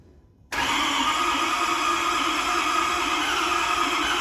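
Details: Ford 6.7 Powerstroke diesel on first start after the owner's engine rebuild with fresh oil, new filter and coolant (an unseated O-ring coolant leak was fixed): fires immediately, steady even clatter with a faint constant whine; running smoothly after the rebuild.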